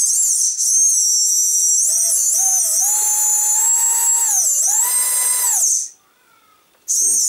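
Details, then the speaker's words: Micro inrunner motor after bearing replacement, which had sounded rough and popping before: a high, clean whine rises and falls smoothly with speed, only fan air rush and no gritty rasp; healthy bearings. "Let's have a listen to how it sounds now, because it was sounding quite rough when I was balancing it in that balancing video. See, it's much more quieter."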